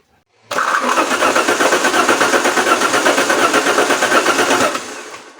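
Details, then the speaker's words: Alfa Romeo 164 2.0 V6 turbo cranking about five seconds without starting; no spark trigger signal though positive feed present, fuel pump and pressure good; car had been soaking in water around the control units. "so over here we do not have the signal for the spark over here we do have the positive I did check it okay"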